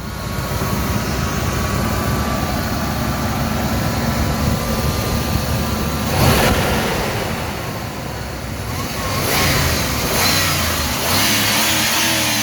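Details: Ford Explorer with 5R55S transmission, after repairs for misfires and hard vibration (a rat had been living in the engine): it starts and revs up and down cleanly with no stumble or shake, apparently fixed.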